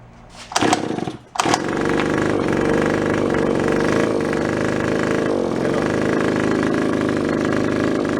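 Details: Japanese-made, landscaper-grade two-stroke found at a garage sale; the owner had suspected a stiffened carburetor diaphragm. A couple of pulls catch, then a steady, even buzz holds without missing or surging. Running is healthy.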